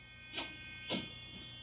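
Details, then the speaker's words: N20 small gear motor with 3D-printed wheel, freewheeling at its rated 6 volts: very quiet steady high hum with a couple of light clicks and a tiny bit of expected vibration. Normal running. "Little teeny bit of vibration in it as you'd expect."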